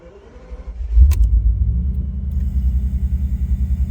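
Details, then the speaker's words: Flood-damaged Bentley Continental first start after replacing the water-damaged immobilizer (Kessy) module, relay jumper toggled; short crank then catches and settles into steady even low idle, no misses or knocks; runs surprisingly well. "so it runs and it runs surprisingly well"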